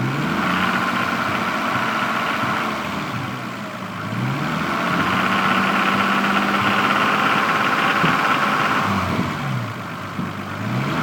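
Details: Stock Toyota Supra MK3, 200,000 km, burning about 1 liter oil per 600 km; revs rise and fall with rapid, even ticking chatter tracking speed; owner suspects valves or injectors, cause unconfirmed.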